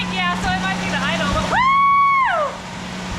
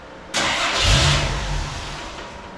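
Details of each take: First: 1983 Jeep CJ7 after a new fuel pump and carburetor cleaning, first running: a steady, even low hum under shouts, idling high before being turned down. Normal idle. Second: 1983 Jeep CJ7 first start after new fuel pump and carburetor cleaning: starter grinds, engine catches with a brief rough burst then dies within seconds; small fuel leak found on a line, cause suspected, not confirmed.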